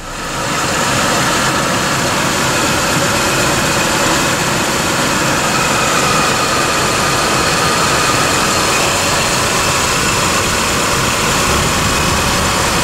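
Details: 2001 GMC Sonoma 2.2L, freshly replaced engine on the lift, after first start: steady even idle, smooth hum with faint hiss, no knocks or misses; good oil pressure, no check engine lights, healthy.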